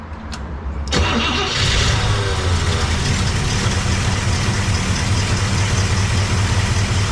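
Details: Cadillac 390 V8, glitter found in engine oil: catches after a short crank and settles into a steady, even idle, no knocks or misses; oil pressure about 20–27, oil looks terrible; normal idle.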